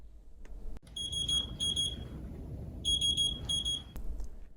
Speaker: this pattern of beeps indicates a high priority alarm and in this case it means that the pump has stopped attempting to restart on its own and you will need to respond and assess the situation